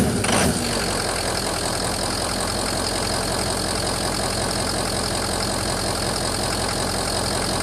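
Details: 2004 Ford F-350 6.0 diesel, cold: uneven, lumpy idle clatter with a loping beat of about three a second, smoothing out once warmed to operating temperature; EGR cleaned of soot without change; owner suspects injectors, FICM or EGR, cause unconfirmed.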